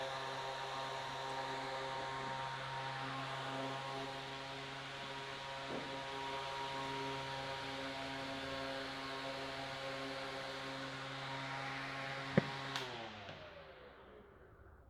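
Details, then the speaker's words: Small electric fan motor that previously only hummed and would not start, now repaired: smooth, steady motor hum with blades spinning evenly clockwise, then a clean wind-down when switched off; fan running normally. "nuestro ventilador está girando correctamente hacia la derecha o hacia las en el sentido correcto de las agujas de reloj y está funcionando a como ustedes lo pudieron ver"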